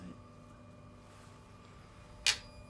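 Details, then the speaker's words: 2008 Peugeot 308 1.6 HDi with codes P2033, P0299, P1462: quiet hum then one sharp click as the EGR valve snaps open when commanded, first mistaken for the throttle/butterfly solenoid; EGR actuator responds normally. "it's actually throw it on it it's actually the egr so it's got mixed up"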